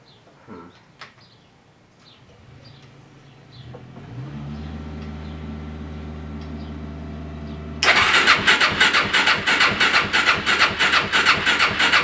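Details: Suzuki LT-R 450 quad, quiet hum then steady cranking about three turns a second that never fires; very weak, intermittent spark on a swapped plug, rusted coil ground post; CDI later judged faulty and replaced.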